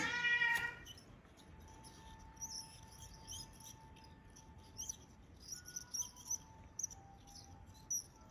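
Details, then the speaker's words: Bicycle wheelset: the freehub (cassette body) bearing gives short, high, bird-like chirps that come and go irregularly during a quiet wheel spin. Replacing the bearing cured it and left the wheel smooth and quiet. "啾啾声就从这里来的啊，可以 OK。"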